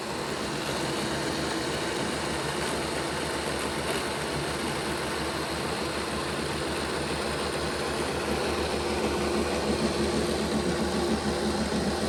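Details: Bachmann Dash 9 model locomotive, rear motor block running reversed on test: constant rough, gritty growl over the motor hum, louder than the front block; motor misaligned in housing, poor contact with internal contact strips suspected.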